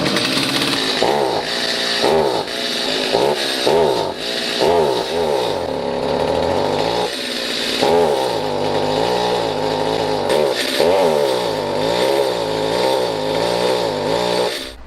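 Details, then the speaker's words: Stihl MS250C chainsaw, long stored with bad fuel, carb cleaned and rebuilt and L/H screws turned out without change: each throttle squeeze makes pitch sag and stumble; bog from defective carburetor. "I've rebuilt the carburetor cleaned it it still bogs down and what's causing this issue is a bad carburetor I'm going to start it up so you can see the symptoms it just bogs down"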